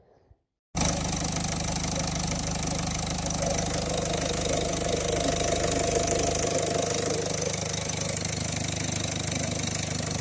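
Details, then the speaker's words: Diesel car engine after its fuel rail pressure sensor was replaced: a light, uneven rattle of three to four per second over the idle clatter, suspected to be worn timing chain tensioners. "وهذا الصوت اللي عنده انا موجود بصفه عامه تلقاها موجود يعني شدادات وكذا"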